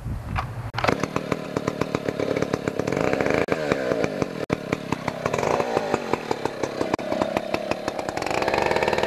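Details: 1959 Stihl Contra (Lightning) 106cc 6HP two-stroke chainsaw, mint collector saw with Tillotson HL112C carburetor, startup after reassembly: sharp crisp crackle firing evenly, picks up cleanly on throttle; runs healthy.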